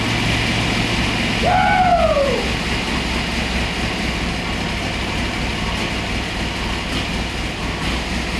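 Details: Boss 429-style Hemi-headed 429 stroker Windsor Ford V8 on dyno, 93 octane pump gas, initial run-in: smooth steady rumble, no knocks or ticks, brief sliding tone in background; no leaks, sounds healthy.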